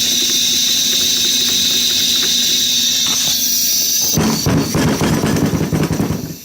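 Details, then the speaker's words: Steady high-pitched hiss of compressed air escaping at the shop air regulator, then handling clatter; leak returned after moving it, turning the regulator didn't help, source not found, owner suspects internal leak. "sounds like it's definitely leaking right in here though I don't know it's weird"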